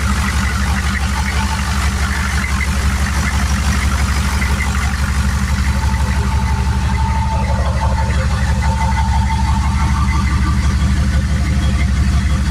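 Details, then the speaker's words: Turbo 6.2 diesel at idle after timing adjustment, pump turned up, 195° thermostat: steady even clatter, low smooth rumble, no misses; quieter, cleaner and less poppy than before because timing is more correct. "She sounds a lot quieter, a lot cleaner. Idle's not as poppy because the timing's more right."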